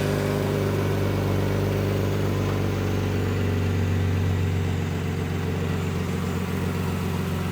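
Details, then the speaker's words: Van idling with a raspy puffing chuff on each firing pulse, louder than a sealed system; cracked flex pipe in the exhaust leaking, to be welded. "like it had a bit of an exhaust leak didn't it yeah it was a little extra oh you know what it's going to be this that Flex yeah that Flex is going to yeah that Flex is just shot"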